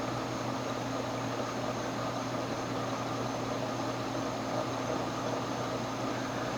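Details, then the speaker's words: Early-1920s Century 36-inch CF-36 antique ceiling fan with oil-bath pancake motor on its original speed coil, at high speed (about 300 rpm, 11.5° blade pitch): steady low hum and even airy whoosh, no ticks or rubbing; normal high-speed run. "yeah this thing naturally flies"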